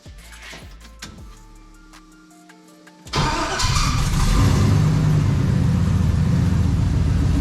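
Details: LQ4 6.0 V8 freshly swapped into an International Scout Traveler: after a short lead-in it fires and settles into a deep, even rumble; an earlier lifter tick has pumped up and gone quiet, good oil pressure; healthy idle.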